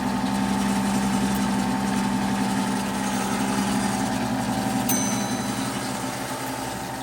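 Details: Rebuilt 90-year-old Gilbarco Model 80 (GMB 80) gas pump running and pumping diesel: steady, even motor hum with a low drone and a clear mid tone, no knocks or rattles; fully operational.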